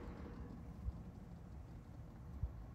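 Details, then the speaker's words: Daikin 9 kW heat pump outdoor unit at 3 °C drawing 0.9 kW, recorded about a meter away: quiet, steady low rumble with a faint hum, running normally at low load. "And then as we get closer, here we are about a meter away, and this is the noise. So as you can hear, it is not particularly noisy when running at as it usually would."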